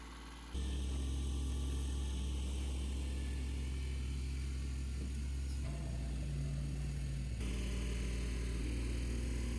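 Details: Ford 1210 diesel tractor at full throttle after fuel filter replacement and bleeding at injection pump, fires up right away and holds a steady, even beat at high revs with no misses; fuel system running clean.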